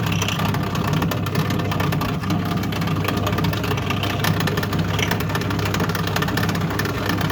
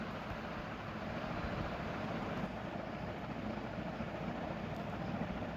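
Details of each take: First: Toshiba 8 kg washing machine during spin: loud steady droning whirr with heavy low rumble from the noisy drain pump, which needs replacing. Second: Toshiba 8 kg washing machine after replacing the drain pump that was very noisy during spin; steady even whoosh of water over smooth motor hum, no rattle or grinding, pump now healthy.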